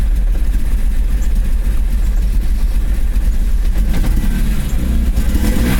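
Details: BMW E34 M5 S38B36 running loud and uneven with a lumpy, stumbling beat and ragged revs; misfire caused by a worn distributor cap and rotor.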